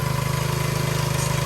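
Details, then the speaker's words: Soft wash system's small engine and pump after repairing a leaking hose barb on the chemical line, soap at about 1%. Even, steady chugging pulse with no air, sputtering or spitting. Normal running. "I hear no air in the line right now, which is good. No air. I hear no air. No sputtering, no spitting."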